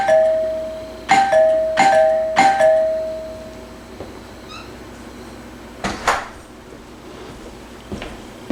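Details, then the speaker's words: Vintage wood-grain two-chime doorbell, probably 1970s, with a replaced cheap button, recorded indoors from the chime: clear two-tone ding-dong struck several times, each note ringing and fading cleanly; old chime works normally. "That's just a basic 2-chime bell, but it's nice to see an old unit still in service."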